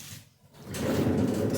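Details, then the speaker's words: Consul CWH12 12 kg washing machine, very noisy on spin. The basket is turned by hand, giving a rough, gritty rumble/hiss from a worn drum bearing, before bearing replacement. "Porém quando você fizer esse teste tiver um barulhinho de nada certo que nem só um como se diz um um chiado o rolamento tá ruim"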